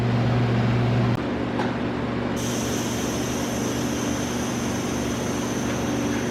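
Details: Audi B5 S4 twin-turbo, engine off, pressurised with compressed air after the cracked charge pipe was welded and refitted: faint steady high hiss partway through; small leak at a hard-to-reach turbo inlet clamp.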